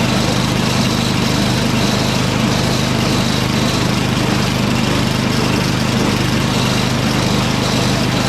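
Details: Snowblower, started with half choke, auger and drive disengaged: small single-cylinder running on its own at a steady, fairly even clip, no hunting or surging; runs fine.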